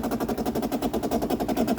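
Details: 2008 Bosch dishwasher during refill as the float rises, which had recently overflowed: rapid buzzing chatter about eight pulses a second. Replacing the water inlet valve seemed to fix it. Faulty inlet valve chatter.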